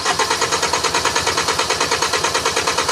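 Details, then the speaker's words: 2010 Hyundai Sonata 2.4, intermittent no start, no trouble codes: even cranking pulses about seven a second that never catch. Injectors pulse and fuel is smelled, but the ignition coils are not firing. Crank, no start. "So, that explains why we smell fuel. These injectors are firing. There's no reason why these co this coil these coils should not be firing."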